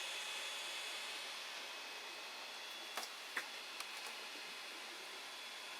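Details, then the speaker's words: Creality Ender 5 Plus 3D printer printing, with an 80 mm fan fitted to the Meanwell RSP-500-24 PSU: steady airy fan hiss with a faint high whistle. "i know this is making a noise like obviously not well a bit of a whistling knife"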